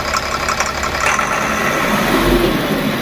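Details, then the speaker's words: Tata BS4 diesel that stalls under load with black smoke; revs fully but smokes, rough run with uneven clatter knocking about four times a second; injector wiring harness found burnt, being rebuilt with new wires. "Race पूरी ले रही है मगर धुआ दे रही है गाड़ी और आवाज बहुत गंदा कर रही है"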